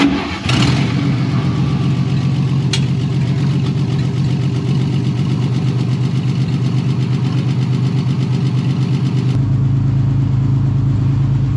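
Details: 1953 Chevy 5700 COE truck started after about 50 years sitting, carburetor controlled by hand: the old six catches and settles into a steady, even idle with a smooth low beat and no misses or knocks; healthy.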